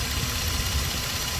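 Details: Toyota Land Cruiser V6, previously crank-no-start with fuel pump relay in question: steady, even idle, smooth low rumble, no misses or knocks; engine sounds healthy and settled.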